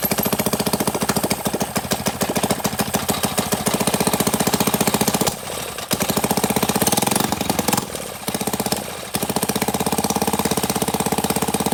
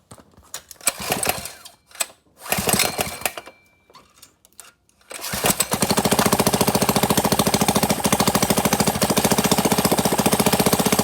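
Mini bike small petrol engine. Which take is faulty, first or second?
second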